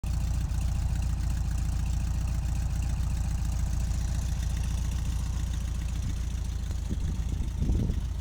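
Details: 1973 Cox 1300 air-cooled flat-four idling with a low, uneven beat of roughly three to four pulses a second; abnormal engine noise, cause unclear.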